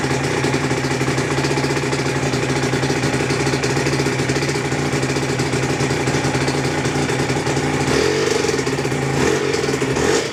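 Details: Aprilia RS125, Rotax 122 two-stroke, first start after full rebuild (new piston, conrod, bearings, balance shaft gears, clutch; 12.1:1 compression): engine very tight, steady idle with thin constant whine over crackle; owner suspects tightly meshed new balance shaft gears wearing in; whine later recedes.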